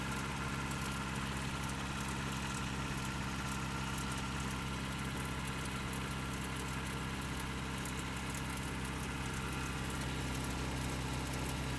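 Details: Toyota 22RE 4Runner, just bought, filled with 5W-30, cold start and rev: light uneven ticking rattle over steady hum at cold idle; owner suspects timing chain and/or rod knock, unconfirmed.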